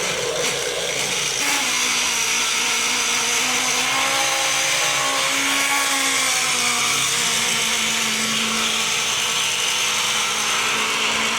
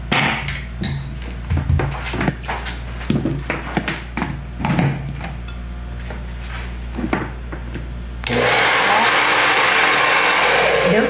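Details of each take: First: Taiff hair dryer making strange noise with sparks inside, before repair; loud rough whir with wavering hum and harsh rasp at steady speed; worn motor bushing (mancal), fixed by replacing it. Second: Taiff hair dryer after replacing the worn motor bearing (mancal) that caused a strange loud noise: after handling clatter, a smooth, even airy rush with no rattle or grinding; repair successful.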